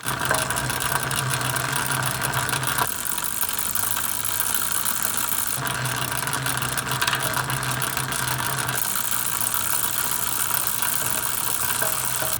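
Soft, even whirr from the turning pedals, with brief clicks at each gear change and no grinding or squeak; the chain runs quietly.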